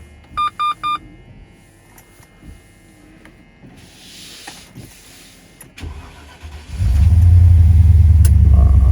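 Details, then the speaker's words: 1996 Range Rover P38 V8, cold start on a chilly Stockholm morning before a 6-hour drive home: a few chimes, a short crank, then it catches and settles into a strong, steady fast idle. A clean cold start. "Cold, chilly morning. Time to hit the road. Let it warm up a little bit. Let's see how it code starts."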